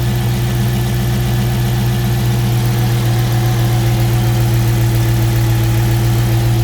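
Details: 2018 Dodge Charger RT V8 idling steadily with a deep low hum and no rattle once the serpentine belt is removed; the earlier rhythmic rattle was traced to a worn water pump with shaft play.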